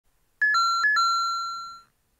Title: [YUVO]ちびポケットW エラー音